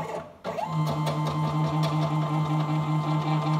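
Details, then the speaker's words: Small Arduino CNC router with CNC shield, X-axis stepper moving at a particular speed setting: steady low buzzing hum with metallic rattle pulsing two or three times a second; stepper motor resonance, louder at that speed. "então é é óbvio que aí tem uma vibração metálica ele se tem um barulho de vibração Metallica mas se acontece com essa velocidade com esse parâmetro de velocidade o motor ele gira e ele vibra muito mais então por isso que tá muito mais alto"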